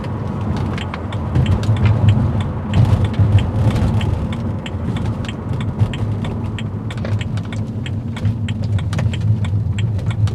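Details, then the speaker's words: 2009 BMW Z4 E89 while driving: irregular light clicks and ticks over low road rumble from interior dash and console trim; attributed to dirt, body grease and hardened plastic from neglect, repaired with grease and rubber care. "mainly all of that noise is coming because of some sort of dirt in there body grease and so on extra noise coming from especially like hardened plastic it's a lot especially whenever you're driving"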